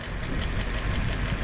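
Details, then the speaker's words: 1958 Chevrolet Bel Air V8, abandoned about 30 years and last on the road in 1993, idling on its first start after the carb bowl was filled with gasoline: nice and quiet, even pulsing, no tick or knock, barely any smoke. Normal idle. "Oh, it's nice and quiet too. Oh, that was amazing. Wow, not a tick, not a knock. Barely any smoke."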